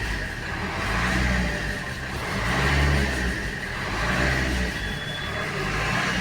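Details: Suzuki Swift diesel after fixing a loose fuel temperature sensor coupler (DTC P0180 now in history), idling after restart: even clatter with a slow, gentle swell in the rumble, no misfire or knock; MIL still lit.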